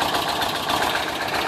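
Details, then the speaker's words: 1979 Volkswagen Bay Window bus engine, first start after a 12–14 day rebuild; brief lifter bleed-down clears within seconds, settling into a steady even idle with light mechanical chatter and no tapping or misses: normal idle. "ah that sounds good we had a little bit of a lifter bleed down there but it few seconds there yeah oh yeah it's sounding better"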